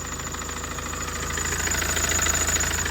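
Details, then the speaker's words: Tata 2.2 diesel (140 hp) idling after a cam sensor replacement fixed the no-start: a loud, steady tok-tok knock. Coolant reportedly ran dry; the overhaul bored four cylinders and replaced pistons 1 and 2. Piston knock. "อ่ามาฟังเสียงเครื่องดูนะเสียงเครื่องมันดังแปลกๆนะฮะดังต๊อกๆๆ"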